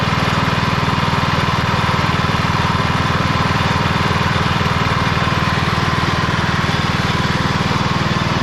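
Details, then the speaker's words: 1991 MTD 12/38 riding mower after a rattle-can restoration, basically finished: it starts, moves and mows. Steady, even putter at about four beats a second with no misses or knocks. Normal running. "well it's basically finished it's gonna need a lot of buttoning up and cleaning and things like that but everything's there and it starts moves and most check it out"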